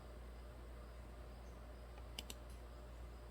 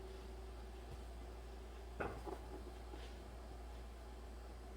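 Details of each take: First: 2008 Dodge Ram 6.7 Cummins with random stalling, power loss and code P1011 (low high-pressure fuel pressure): two crisp relay clicks with no pump whir; the aftermarket lift pump does not run due to a blown fuse. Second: 2008 Dodge Ram 6.7 Cummins diesel towed in for random stalling and power loss, code P1011 (high-pressure fuel pressure low): aftermarket lift pump commanded on by scan tool after replacing its blown 10 A fuse. Quiet steady low hum with faint even whine; pump running normally.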